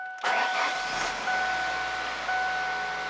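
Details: 2002 Ford Focus manual that would not start, after replacing the worn clutch pedal ignition lock (neutral safety) switch: short crank, then catches cleanly and settles into a steady, even idle; healthy start.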